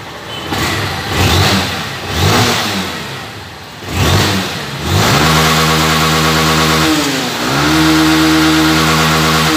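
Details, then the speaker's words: Honda CG 160 Titan after TPS sensor restoration for not reaching full revs and misfiring: revs climb cleanly in repeated blips, then settle to even idle, no fault codes; engine healthy. "e aí galera você nem um código de falha e não tá oscilando beleza"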